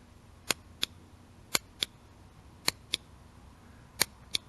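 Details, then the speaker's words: EZGO golf cart key switch, known-good replacement for one shorted after the cart went into a pond: crisp, sharp clicks in press-and-release pairs about a third of a second apart; normal switch click. "got the click to it"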